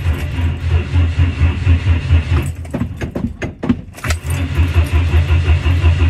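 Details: 1959 Ford Consul, habitually hard to start, with heavy pedal pumping: slow, steady cranking at about 86 pulses a minute with a brief rattle midway, never firing, hard starting.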